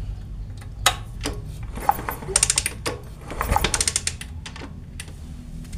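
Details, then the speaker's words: Motorcycle with lost ignition despite all-new parts, after repairing a spliced orange ignition wire: sharp crisp loud tek-tek snaps in bursts with each kick, a big blue spark at the coil lead; strong ignition, engine should start. "oke ya kalau api seperti ini saya pastikan motor bisa hidup Karena apinya sudah besar dan ada suaranya suaranya kencang tek tek tek kayak gitu dan apinya juga biru"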